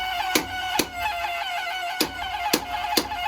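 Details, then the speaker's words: New Yorker boiler with no heat, Grundfos 3-speed circulator pump: loud steady singing tone with sharp irregular clicks; circulator worn out and replaced. "Oh, that's a circulator. Just shot."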